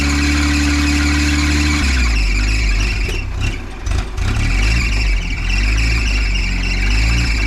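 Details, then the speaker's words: 1953 Willys CJ3B stored for years, cranking on dirty 2-year-old ethanol fuel with the choke being set: a steady, chirpy bird-like squeal holds during cranking, then uneven running takes over as it starts; squeal source unclear. "dang it is your choke on where's the choke at I don't know where the choke is right here crank it sounds like birds"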